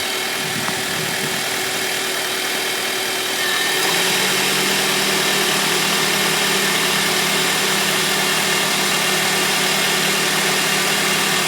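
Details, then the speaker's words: 2001 Honda Civic, 7th gen, just after full timing belt, accessory belts, water pump and tensioner replacement, not yet warmed up: smooth idle, A/C compressor kicks on at full blast about four seconds in adding a deeper drone, idle stays settled; belts look okay. "Oh, turn the compressor on. Yeah, turn it on full blast."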